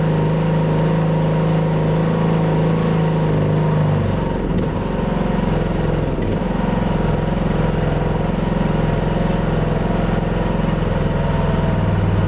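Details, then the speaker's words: Craftsman T110 riding mower after a new deck spindle (old one noisy), plug, air filter, oil and blades, warming up with blades engaged: steady, even engine drone with no knocking, grinding or hunting; normal running. "i'm gonna let it warm up real quick and then we'll fire it up fire blades and see what they do"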